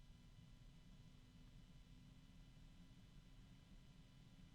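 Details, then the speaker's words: Yeston x Zeaginal ZC 12025 Sakura 120 mm PWM ARGB fan spinning at high speed: a steady whoosh with a faint mid-range hum. It is fairly loud for its rated 30 dB, and an earlier ticking disappeared. Normal fan noise. "So this is fairly loud, although not as loud as some of the other fans. They rated it at 30 decibels."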